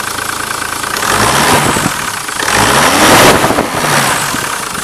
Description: After installing the Malaysian ip and injectors, the lumwagen is running sawheet!